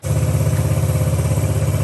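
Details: Yamaha Raptor 50 ATV after a carb clean and tune-up, with slack added to the throttle cable that had held the idle up and made cold starts hard, then the idle screw set: small single-cylinder putters at a steady, even idle with no hunting or stumbling; idle now right.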